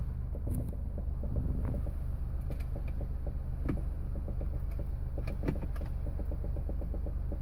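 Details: 2008 Smart Car that won't start and won't go into gear: a low steady electric motor whir with scattered irregular clicks; cause undetermined.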